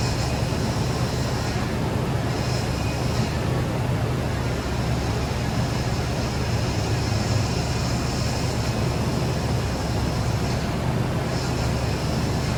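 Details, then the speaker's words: 2013 Nissan Armada after a power steering leak repair, engine idling: a faint high whine comes and goes over the rumble and fades as air works out of the steering system. "as you guys could hear it's getting better and better as it runs the air is coming out of it"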